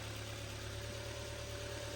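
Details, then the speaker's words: 2011 Ford Fiesta Titanium automatic four-cylinder after head gasket replacement: quiet, smooth idle with even hum, no ticking, knocking or misfire; runs cleanly, though some smoke seen, possibly sprayed cleaner burning off. "that's exactly how they should sound so yeah it runs it's alive so that's good news really really good news"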